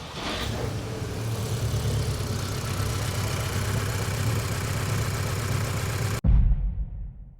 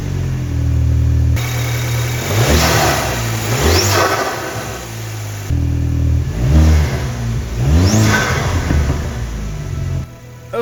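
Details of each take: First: Mk2 Audi TT, BWA petrol engine: rough, shaking idle with uneven thumps from a bad misfire, one cylinder not firing; also logs P2177 bank 1 lean, and the owner suspects a faulty fuel injector. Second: Mk2 Audi TT, BWA petrol engine, after replacing fuel injectors to cure misfire: revs rise and settle repeatedly, pulling cleanly with even beat, no stumble or miss; normal running, fixed.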